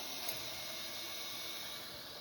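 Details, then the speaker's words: Refilling a heating system after replacing a leaking column designer radiator: soft, steady high hiss with faint ticking as trapped air escapes from the opened radiator bleed valve. "So we're going to open up that bleed. You can hear some air coming out."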